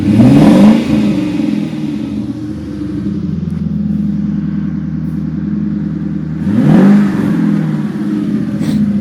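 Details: 1994 Infiniti Q45 with aftermarket rear-mount turbo: two clean throttle blips rising and falling smoothly with an even idle between, no misses or knocks; the engine runs strong.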